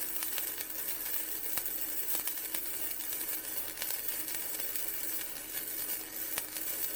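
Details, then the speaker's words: Vevor MIG 130 flux core welder raised to 55, flat bead on thin steel: steady crackling sizzle with fine, even pops and no sputtering breaks; much better, though possibly too hot for a gapped butt weld. "all right that's a lot better now on something like a butt weld where I've got some Gap that might be too hot but for there that felt pretty good"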